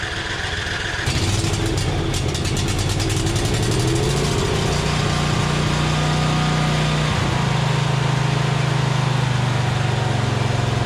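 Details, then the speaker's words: John Deere Z425 zero-turn with a swapped-in donor twin, restarted after refitting the belts: catches after a short crank and settles into a smooth, even drone with one speed change. It runs healthy, though the throttle control works backwards. "Nice. That's working really good, except for one slightly odd situation, which is honestly not that big a deal."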